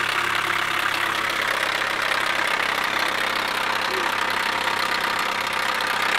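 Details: 2007 Chevy Cobalt SS supercharged, cold-start idle: loud loose uneven knocking over a busy engine note; owner suspects a bad cam timing chain tensioner, unconfirmed.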